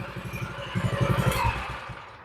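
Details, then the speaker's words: Baja (thought Coleman) 200 minibike, choke on, after repairs: slow, even putting that fades off; healthy engine idling slightly low, left as is intentionally. "And she sounds pretty good. She's idling a little bit low, but I think for this style, I want to get it to idle as low as I can, so I'm going to leave that alone."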